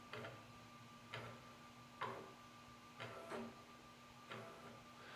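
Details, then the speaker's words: Langmuir Titan 25T press brake backgauge moving down: steady electrical whine with a hard tick about once a second as only the left side moves and binds; swapping cables showed a computer-side cause, a known issue. "if I'm going to go down only the left side seems to be going up and down you hear a binding"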